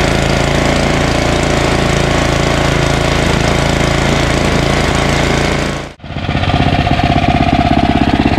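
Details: Ariens ST1128 snowblower, 11HP Tecumseh Snow King engine, after carburetor cleaning fixed surging, warm after running a while: steady, even single-cylinder beat, no surging, one brief dip that picks straight back up; running properly.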